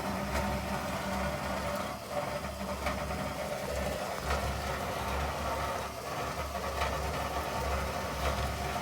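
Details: GE top-load washer model GTWN4250D2WS, heavily loaded: low rumbling grind and faint scraping while agitating, not a bearing issue; worn suspension shocks let the tub rub, noise stops when lifted; fix is replacing all four shocks.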